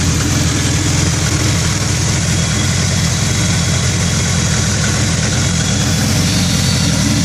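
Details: 2000 Acura Integra: rough, uneven idle with a choppy low rumble that lurches irregularly instead of a smooth beat; a bad misfire at idle, cause unknown.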